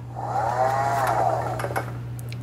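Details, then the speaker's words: Frontier V6 off-road wheelchair drive motor, during repair after storage: harsh rough whir with wavering tone over steady low hum; badly abnormal, owner unsure whether bearing or brushes. "So I discovered this is the motor that makes terrible sounds."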